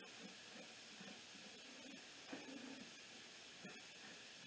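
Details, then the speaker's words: Dykon Express scooter (scrapped, free, getting a scrapyard replacement engine) with engine off: faint steady hiss with light clunks as air escapes the unseated tire bead on the dirty rim; a ratchet strap is planned to seat the bead. "go ahead and put a ratchet strap around it bring it back out don't flap so long that uh it won't pop back on the bead so I'm gonna get a ratchet strap of course if we can't get it to air up we'll just skip on to try to get it to run"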